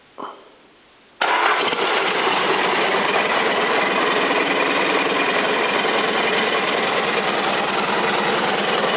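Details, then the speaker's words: First start of a rebuilt Isuzu 4BD1-T diesel, not hooked to coolant, bound for an FJ60 Land Cruiser. A short crank, then it fires into a steady, even clatter with no knocks or misses; a healthy start and idle. "seems to be running good [Music] all right don't want to run her too long cuz I don't have it hooked up to water but uh seems to be running like a champ"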